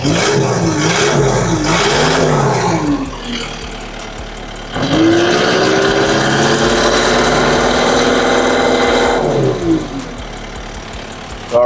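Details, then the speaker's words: Takeuchi skid steer diesel with a no-crank complaint, weak battery, charging problems and a high-soot DPF warning now cleared: it revs up cleanly, drops back to a smooth idle and revs again, responding promptly with no misses; running great. "So, everything seems to be running great, accelerating great."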